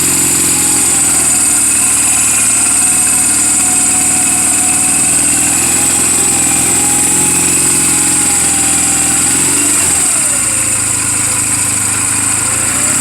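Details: 2007 Honda Rebel 250 idling in neutral just after an oil change and valve clearance adjustment: a steady, clean idle with no ticking or misses and one brief dip near the end. The engine is running perfectly, a normal idle.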